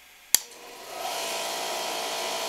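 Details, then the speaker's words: Cheap air compressor, hard-starting especially cold, high surge, on Cobra CPI2550 2500W/5000W inverter: switch click then motor spins up to steady whirring hum; starts normally, drawing a little over 1000 W, about 11 A. "and it does start it up so the uh draw out of curiosity on this compressor is a little over a thousand watts"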